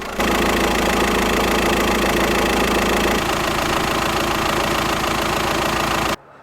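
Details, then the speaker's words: VW Transporter T5 diesel idling: heavy, uneven throbbing rumble about four pulses a second with cabin vibration from a shaking belt tensioner; noise fades when revved and returns off throttle, caused by a seized alternator overrunning pulley. "on top of all this sound I'm also getting a ton of vibration from the cabin obviously those bits of uh belter vibrating in the way"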